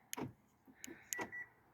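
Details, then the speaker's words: Hyundai power door locks cycling after all fuses were pulled and reinstalled, having previously not worked by key remote: three sharp actuator clunks with a brief chirp; locks working normally. "But look, it's unlocking. It's locking. That wasn't working. My wife was having to do it with a little key thing."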